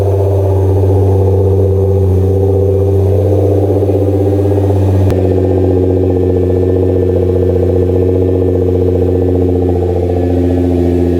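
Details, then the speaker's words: Repaired salvage 2010 Nissan GTR R35 starting up and revved lightly: smooth, even engine note with deep exhaust rumble, no knocks or ticks; healthy running. "and that sounds good wrap it up a little bit not too much it sounds like a race car man"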